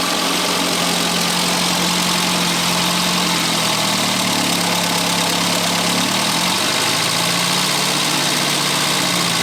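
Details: 1962 Austin-Healey Sprite after 10+ years' storage, after engine teardown fixing a bottom-end knock: idle dips and picks up briefly, then settles steady with no bottom-end knock; runs healthy.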